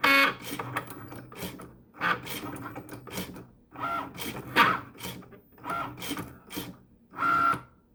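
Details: Cricut Maker carriage whirs in short bursts with loud sharp clicks about once a second; not cutting or writing properly, calibration fails as the sensor can't detect lines, carrier is way off center, and it stopped cutting at 63%.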